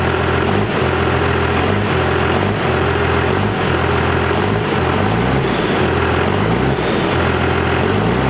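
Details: Diesel truck, power screw readjusted for new 3200 governor spring, rev test for sticking: repeated rev rises drop cleanly back to steady idle without hanging; governor responds properly, normal idle and revs.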